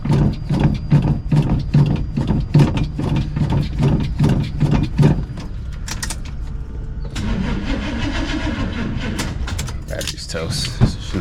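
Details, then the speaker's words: Box Chevy convertible that sat all summer: about five seconds of slow, uneven cranking under three turns a second never catches; battery dead, to be put on a charger before retrying. "So she's not gonna fire right now. Let me try to charge that up and I'll fire it up for y'all later."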